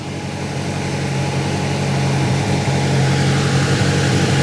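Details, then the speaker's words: Grinnall Scorpion kit car, newly fitted electric radiator cooling fan at idle, smoke drawn up through it in a flow test: steady airy whoosh over smooth even idle, no rubbing or rattle; fan running normally. "okay the fun is now kicked in let's see what this small flow of smoke looks like"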